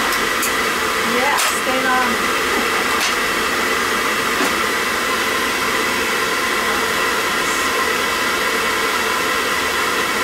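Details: Riello oil burner on a triple-pass boiler, reported to be cycling on and off, refired after servicing and running a small nozzle. Steady, even roar of fan and flame with no dropout or pulsing. It lights and keeps running cleanly.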